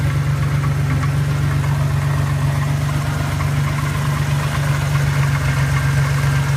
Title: Knocking sound?